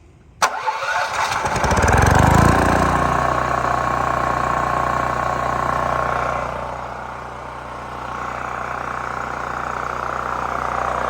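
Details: New Holland Agriculture 6500 W generator engine, previously locked up after running low on oil with suspected stuck valve, after valve cover work, fresh gas, choke on: pull-start catches, revs and settles into steady even idle, no knocking.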